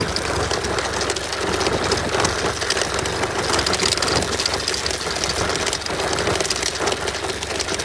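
Light metallic rattle riding over a steady twin idle, uneven and tinny; something loose is chattering, likely near the chain.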